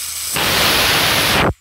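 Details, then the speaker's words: Taiwan paintball regulator (OP 1800) checked before fitting to the unit, with the pin confirmed removed: a sharp, steady hiss of air for just over a second that cuts off cleanly, normal venting through the regulator. "Ya, dengar ya. Seperti itu. Jadi udaranya sudah keluar."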